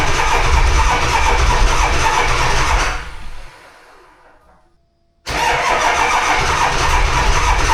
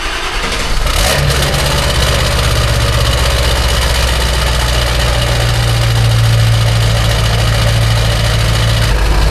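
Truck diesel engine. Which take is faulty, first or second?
first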